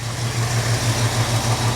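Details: Jeep CJ-7 with AMC 304 V8, just after an oil service and fresh start for a leak check, showing 50 psi oil pressure: a deep, even V8 burble with a steady low pulse and no ticking or knocking. It is a healthy, normal idle.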